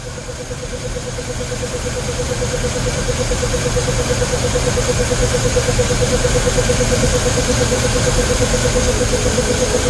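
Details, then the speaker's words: 1951 Ford F1 pickup run after sitting over 20 years, freshly rebuilt Holley 94/2100 carburetor, mixture screws about one and a half turns out: even, regular idle building slightly and holding steady with no misses; runs smooth, a little smoke. "Thing runs smooth."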